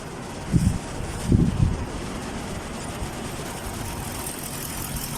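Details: Chevrolet Caprice V8 after repairing a cut ground wire at the back of the engine that caused no spark from bank 1 coils and multiple misfires; now settles into a steady, even low idle with no stumble or misfire.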